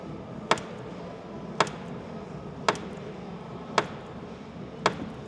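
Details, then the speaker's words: Sharp isolated clicks about once a second from a worn front door check on a 2022 Jeep Gladiator EcoDiesel with 60,000 miles; it has made this noise for a while. "this is my 2022 Jeep Gladiator EcoDiesel now 60,000 miles on it but it's been making this noise for a while now"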